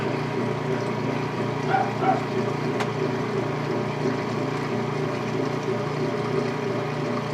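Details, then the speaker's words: Late-1990s/early-2000s Whirlpool direct-drive washer, neutral drain to the standpipe with timer noise: steady low rumble with a soft rolling, train-like rhythm; the normal neutral sound. "Here's the timer sound and the neutral drain to the stand height here. And the awesome neutral sounds."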